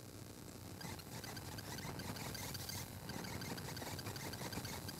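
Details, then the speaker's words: Focusrite Scarlett Solo USB audio interface heard through studio monitors, with the microphone near the speaker: quiet hiss with crackling ticks and buzz that changes as the CPU scrubs and renders; conducted USB noise correlated with CPU load. "static really annoying static and it's not just random static like that it's actually correlated to uh what my cpu is doing in my computer"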